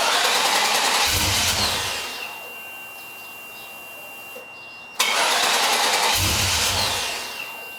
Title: Tahoe No Start